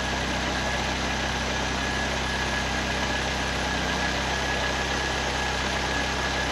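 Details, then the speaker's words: 1931 Ford Model A hot rod with Ford 2.3L four-cylinder and Holley 2300 350 CFM carb, warming up with a new water pump: steady, even idle with no knocks or misses under electric fan whoosh. "I turned the fan on a couple times, but the old Holly 2300 sitting here running good. 350 CFM."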